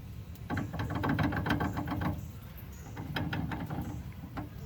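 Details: Driver side steering, sloppy after being hit and shoved off the road: quiet bursts of rapid knocking about four a second as the steering is rocked; lots of slap, loose play in the steering.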